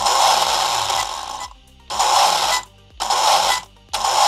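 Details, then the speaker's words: Hobbywing Max5 G2 ESC on original firmware driving a sensorless motor: motor revs in stepped bursts with pauses, rising unevenly; sensorless startup stutter from the ESC firmware, which a firmware update is meant to fix. "you can hear that staged acceleration let me show you what that looks like on the ground"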